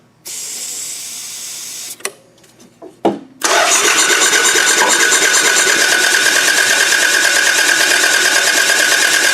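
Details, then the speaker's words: Toyota Camry demolition derby car with good spark, quick start sprayed: starter spins engine fast and evenly, whirring with no compression beats or firing; timing belt broken, not moving when cranked. "You see this belt right here? That's your timing belt. It should turn when you're turning the car over."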